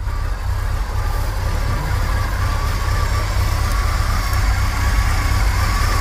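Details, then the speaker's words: 1980s Chevy K30 dually 4x4 dump truck, long parked, warming up on pretty old gas after cold start; steady, even low rumble, no misses or knocks; normal idle. "especially because that's pretty old gas but she's running idling good I'm gonna let her warm up for a second"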